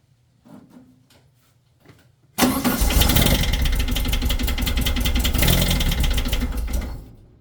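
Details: Engine cranks and catches, then a steady run with a fast, somewhat uneven tapping of about 214 a minute, recorded with the fan disconnected; an engine knock of unknown cause.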